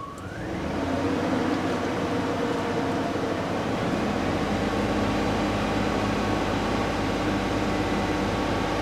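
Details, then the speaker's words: 2004 Cadillac Escalade after an engine swap, once a vacuum leak from a split, brittle PCV hose connector was fixed with a new hose section: it catches quickly into a steady, even idle with no hiss or stumble, good oil pressure. "uh the pcv hose of one connector it was so brittle it split in half and it came off the valve cover so put it put a section of hose on there you can hear how smooth it's running now got good oil pressure here"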